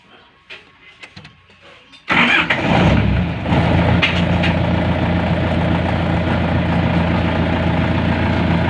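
Cranks, fires at two seconds and settles into a steady, even mid-pitched drone with no misses or knocks; the engine is running properly.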